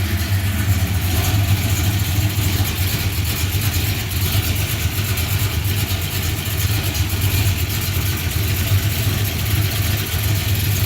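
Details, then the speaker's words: 1978 Ford Courier after a coolant-leak repair sealed with RTV, warming up at about 700 rpm; steady, even low idle, slightly snarly, with no knocks, misses or hissing; normal idle. "Always like to come back here and you can hear it. It runs good. Just a little snarly."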